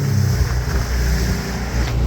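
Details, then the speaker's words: Ultranautics Jetstar jet boat engine: idles low and uneven, beat stumbling and dipping as it starts to miss from running short of fuel. "it's starting to miss hear that so it's running out of fuel"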